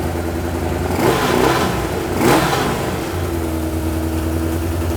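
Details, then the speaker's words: Suzuki Katana four-cylinder barn find, first start in 31 years on original spark plugs: two revving blips, lumpy uneven idle, running on three cylinders; owner suspects a broken-down plug, not confirmed. "it's definitely on three cylinders now but the plugs are the original plugs she probably a broken down plug been into"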